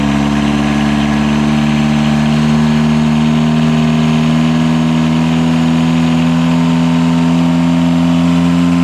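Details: Catamaran genset on the bench after correcting two swapped controller wires that had opened the throttle fully and caused shutdown; smooth, constant fixed-speed drone, steady even hum, no misses, knocks or hunting: normal running.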